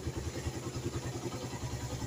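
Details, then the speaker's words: Suzuki Satria FU 150, factory-standard original engine, odometer about 97,989 km: even, crisp idle with a regular low thump about five times a second, no knocks or rattles; healthy normal idle. "dan ini suaranya masih gurih dan jelas ini masih standar pabrik kelihatan dari baut-bautnya juga kalau masih original itu belum pada belum banyak pergantian"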